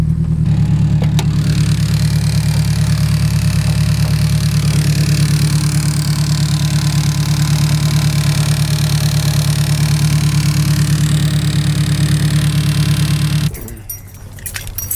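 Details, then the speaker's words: Turbocharged Honda S2000 AP1 (Precision 58/58 turbo, Haltech ECU) at hot idle after driving, steady tick about three per second over the engine; timing chain tensioner suspected, not confirmed. "all right so that obviously doesn't sound very good but what Ben told me is a common problem with these cars is the timing chain tensioner will go out"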